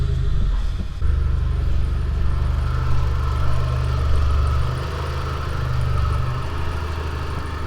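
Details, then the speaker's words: Mitsubishi Evo IX after oil pressure loss, manual gauge at factory sender reading 87–88 psi: deep steady low rumble at idle, no knocks, ticks or uneven beats; smooth, healthy idle. "god damn it sounds so healthy whoo it sounds so healthy"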